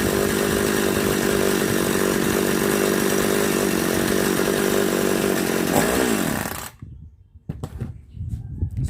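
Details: Chainsaw (3800/3008) brought in for not starting, fuel line suspected installed wrong, after repair: steady high-pitched two-stroke buzz holds about six seconds without stumbling, then switched off; runs normally.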